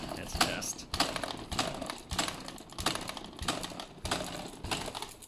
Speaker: yeah it's okay no noise the noise you heard is just from the front wheel and also the front fork okay and now